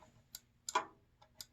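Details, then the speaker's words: Newly required condensate safety switch in the secondary drain outlet on a furnace install, wired through R on the board before the thermostat: sharp, irregular small clicks over a quiet room as the float trips and resets. The switch is working normally. "We got our normal primary going to the drain, and then if that plugs up, this guy's going to fill up this box here. Hear that switch?"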